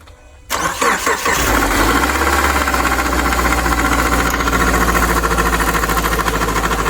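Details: Engine starts and settles into idle with a steady knocking of roughly three or four raps a second; the origin of the knock is unknown.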